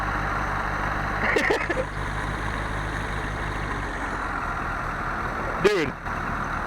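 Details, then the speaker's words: 1968 Fiat first start after about 30 years in a garage: low, steady idle hum that settles and runs smoothly; normal idle. "morning idling Wow full-on running if we have tires we could drive it baby I cannot believe that"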